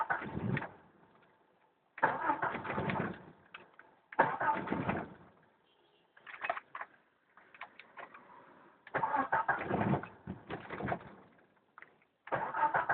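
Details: 1992 Jeep Cherokee petrol 6-cylinder, first start of day, about 24-26°C: starter turns engine in repeated multi-second bursts about four turns a second, never catching; hard starting, cranks but won't start.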